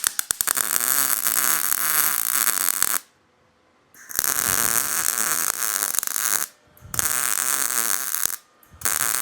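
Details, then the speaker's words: MIG welder on low amperage filling a sheet-metal corner on a 1941 Mercury: steady crackling, popping and spitting of normal short-circuit transfer, with brief pauses between short runs. "Hear how the welders popping and spitting? It's called a short circuit welding. It's like blowing a fuse."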